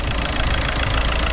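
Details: 2007 SEAT Leon II 2.0 TDI 140 hp BMM pump-injector diesel, about 16 years old: even diesel clatter at steady idle, no squeal, rattle or belt/tensioner chirp; healthy engine.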